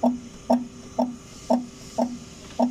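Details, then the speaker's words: Chevrolet Spark front suspension, wheel off, strut rocked by hand: sharp hollow clunks about twice a second from worn, thinned rubber in the upper strut mount; shock absorber also leaking; both to be replaced. "oh manipis na kasi yung pinaka shock mounting niya sa taas yung rubber niya mga ka- GM kaya pag manipis na siya magkakaroon na siya ng alog yan kaya konting hams lang yan na maingay na siya"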